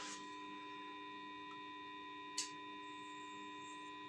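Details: Newly built tube power amplifier power supply switched on: power transformer hums loudly with a high whine, not yet varnish-impregnated, which is expected to stop the hum.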